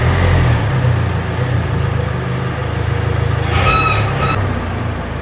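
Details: Car after prying the rattling exhaust heat shield plate underneath back into place: even, deep engine rumble with no rattle or buzz, only a brief hiss midway; exhaust now sounds sound and quiet.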